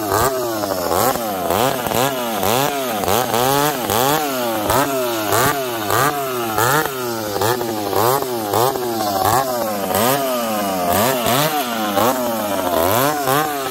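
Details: Husqvarna 366 and Ironhorse 371xp chainsaws running under cut, both struggling: revs surge and hunt unevenly; the 366 running lean, the other lean then rich, popping and farting; fuel suspected, not confirmed.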